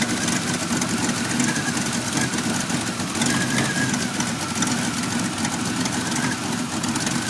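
Uneven, lumpy idle with the beat stumbling and never settling; this engine idles rough, cause not pinned down.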